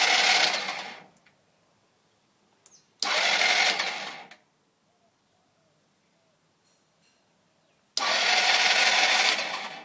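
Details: SYM HD 200 scooter with a 12.5V battery, new spark plug, working starter and full fuel tank: three short starter whirs of about a second each, with no catch or firing. Cranks but won't start.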